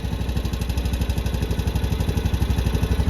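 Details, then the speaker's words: Honda Rubicon 520 DCT ATV engine at idle: crisp even ticking about three per second following engine speed; valve tap from loose valve clearance, hard starting when cold, needs valve adjustment. "So you can hear the tap, and a lot of the time when these Rubicons get, that's pretty bad."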